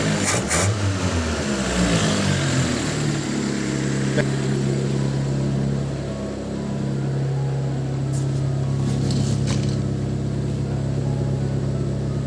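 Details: 1989-94 Mazda 323 BG with a new aftermarket air cleaner and retuned carb: it fires and settles into an even, steady drone with a smooth low hum, no knocks or misses. It runs healthy.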